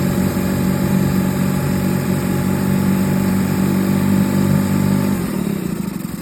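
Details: 2013 Suzuki DF20A fuel-injected four-stroke outboard, about 1000 hours, after replacing an engine block damaged by running on low oil: a steady, even beat at fast idle with no knocks or misses, easing off at the end. Running healthy.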